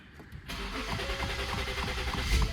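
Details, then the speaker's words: Completely dead push-start car, battery roasted, started on a TOPDON JS2000 jump box and running on it: brief cranking then catches at once into an even, steady run; clean start. "Look at that. Cranks it right up, man."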